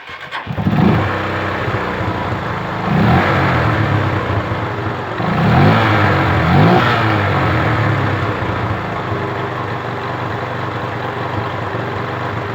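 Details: 2006 Honda CG Titan 150 Sport that would not start after washing, starter made a short-circuit noise; after bump-starting and warming up to dry the electrics: starter turns briefly, single catches at once, couple of blips, steady idle; normal start.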